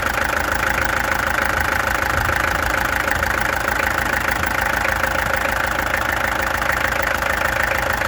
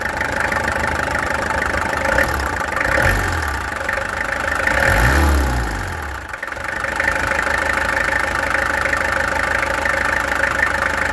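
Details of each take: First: Peugeot XD2 diesel at idle, before the injectors were removed, tested and adjusted: steady clatter, roughly 200 knocks a minute, with a slightly uneven beat. Owner suspects a misfire; cause not confirmed. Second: Peugeot XD2 diesel after the injectors were removed, tested and adjusted (set to about 115): idle clatter rises with a short rev and settles back, fairly even with no obvious misfire. Sounds better, performance unknown. Normal diesel idle.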